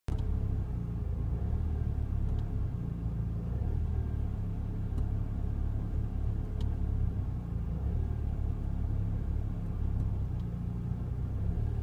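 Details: Ford Fiesta ST with engine management light on: low steady idle rumble with slight unevenness and faint periodic ticks. Rough idle; the cause is not evident from the sound.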